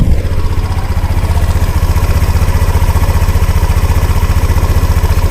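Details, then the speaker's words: 2017 Honda PCX scooter, about 30,198 km, at idle: soft, even low putter about four beats a second, no cracking or ticking; healthy smooth idle. "เสียงนิ่มๆเลยอ่าเดี๋ยวก็ฟังเสียงข้างด้านข้างกันบ้างครับเงียบเลยนะครับ"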